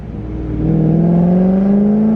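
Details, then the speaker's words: BMW E34 540i V8 driving after a replacement ZF transmission: strong exhaust note climbing smoothly with some backfiring burbles and no gear whine; transmission sounds healthy, no exhaust leak. "just beautiful v8 exhaust note and a little bit of backfiring oh my gosh i am so thrilled right now"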